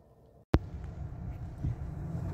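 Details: 2010 Toyota Corolla 1.8, 171,527 km, with P0301 and a flashing check engine light, idling. After a click comes a quiet low idle with an irregular chuffing stumble. This points to a cylinder 1 misfire.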